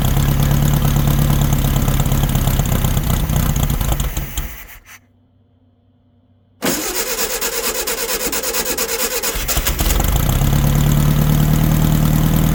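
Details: 1964 VW Baja Bug, formerly seized engine, sitting over a year, run on old gas: runs, cuts out briefly, catches again, then idles and revs evenly with a steady low beat; running fine.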